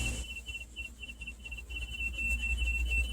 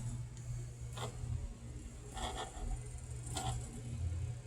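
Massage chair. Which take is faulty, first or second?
first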